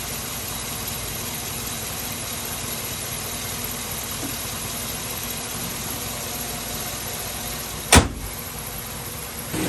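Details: Chevy Suburban started after radiator replacement and coolant refill, checked for leaks: steady, even idle with a smooth low hum and no knocks or ticks, apart from one brief clunk; normal idle.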